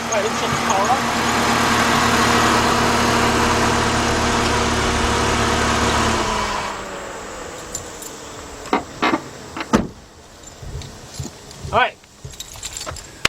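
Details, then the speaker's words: 2006-2010 Chrysler PT Cruiser, 2.4 engine, idling with the AC switched on: steady, even radiator cooling fan roar for about six seconds, then quiets to handling noises. Fan cooling the radiator and AC condenser normally. "The fan is on. That means now the fan's going to cool off the radiator and it's going to cool off the AC condenser."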